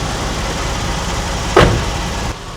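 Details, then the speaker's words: Porsche 996 at idle: one short tinny rattle burst off throttle, then it settles. Exhaust rattle, suspected heat shield or inside the muffler; not misfiring, and the exhaust mounting studs are tight. "Sounds like you've got a rattling heat shield or something. Maybe that's what I'm hearing."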